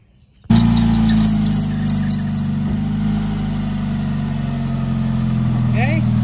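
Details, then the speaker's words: Car idling with loud, raspy exhaust and deep steady drone plus a brief belt squeak; hole somewhere in the exhaust system, possibly the front; exhaust leak. "but you hear how loud it is we've got a hole in the exhaust somewhere it could be in the front"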